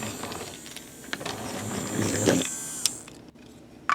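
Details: Trackmaster Revolutions toy train after repair (chipped and cracked gear swapped for new greased gears, gear depth corrected): motor whirs softly with a thin high hiss, quiet and free of grinding or clatter.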